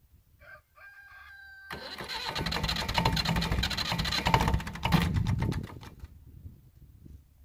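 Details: Massey Ferguson MF35 tractor, A23C standard diesel, cold weather, new Turner parallel glow plugs replacing Lucas series type, held on via toggle switch: short crank, catches quickly, runs on with a steady even beat; normal cold start.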